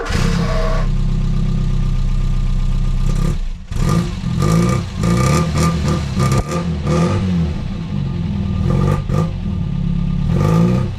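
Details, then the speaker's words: Mk2 Ford Fiesta after replacing a leaking exhaust with a new two-piece system and donated downpipe: starts and revs cleanly in short blips with a deep, even note, no blowing or rasping; sounds much better. "Right, I think that sounds a lot better. It sounds like less like the village job now."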